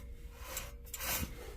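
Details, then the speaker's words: Truck wheel bearing removed and turned by hand: a dry, rasping rub in uneven bursts, binding tight then turning again; both wheel bearings on the truck are bad. "yep definitely two for two both wheel bearings on my truck"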